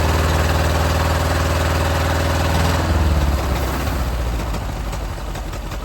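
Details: Ford Model AA doodlebug old four-cylinder, no alternator or fan belt fitted, two cylinders oiled for sticking: lopes with slightly uneven beats, then slows and stumbles at shutdown; still idling rough, cause not confirmed.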